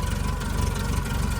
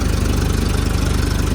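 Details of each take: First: 2010 Doosan propane forklift, 3,353+ hours, with starting issues and a new vaporizer/regulator: low, lumpy note that shakes and surges at idle while the regulator mixture screw is turned; mixture suspected, and it improves once adjusted. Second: 2010 Doosan propane forklift, about 3,353 hours, after replacing vaporizer/regulator and adjusting mixture screw that had it shaking: steady idle with evenly spaced firing pulses, no surging or hunting; normal idle.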